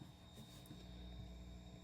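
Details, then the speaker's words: 6J1 tube preamp kit with a capacitor-multiplier supply and a 56 V buck converter for the tubes, heaters at 12.6 V. With volume fully up, only a very faint low hum and light hiss: 120 Hz ripple well filtered. "Hear anything? If there's anything there, it's very little."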